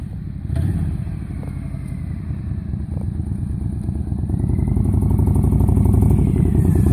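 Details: 2005 Honda VTX 1300R V-twin, stock exhaust with first baffle drilled (about five 3/8-inch holes), before Cobra slip-ons and rejet, about 15–16°F cold day: deep loping beat, revs climbing steadily, even firing, no knocks; normal running.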